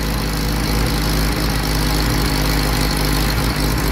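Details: Willys CJ2A Jeep L134 with new production Carter WO carb, new plugs, wires and coil, heat riser not fully closed: low loping idle with uneven beat and occasional dropped pulse, missing intermittently; cause unknown.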